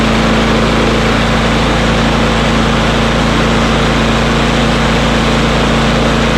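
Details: Small single-cylinder engine whose RPM ran high because of a sticking throttle lever, after lubricating the lever so it returns: steady, even drone holding speed without hunting or surging; runs fine.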